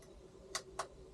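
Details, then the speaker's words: Chinese 5 kW diesel heater being fitted in a Renault Master van, in priming mode. Two crisp ticks about a quarter second apart over a faint hum: the dosing pump clicking as it pumps fuel through. "well I don't know what I've done but I can hear the uh the pump pumping which is what it it does to uh make the fuel come through"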